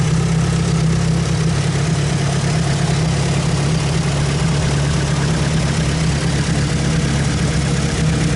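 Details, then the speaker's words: Mitsubishi 4G63 engine still being tuned: a loud deep idle with a heavy low rumble and slightly uneven pulses, no knocks. Lumpy idle. "but first let's check out that lumpy 4g63 idle for a bit"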